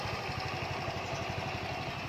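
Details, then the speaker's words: Honda Wave110i fuel-injected kick-start motorcycle, listened to up close at idle: quiet, soft, even putter with no knocks or rattles; engine quiet and smooth. "ตัวเครื่องนะครับเงียบๆนิ่มๆนะครับ"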